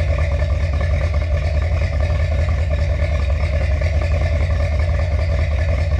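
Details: Finished 1977 Corvette C3 with number-matching steel-crank 4-bolt-main 350 V8 after a two-year restoration: deep, even burble at idle with steady lopey exhaust note, no knocks or misses; healthy.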